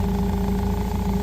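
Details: Toyota 8FGU25 forklift on propane, after oil pressure sending unit replacement: smooth, even hum at idle with a steady low drone and no knocks or rattles; the engine idles healthy with the oil pressure light gone.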